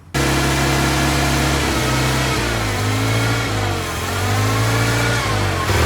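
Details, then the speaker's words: Old Toyota forklift engine, sat over 10 years; a fast, steady idle steps down in pitch in stages as the idle is turned down; the idle may have been set too high, which the owner thinks kept it from going into gear. "It let me put it in gear. I think it might have just been idled up too high."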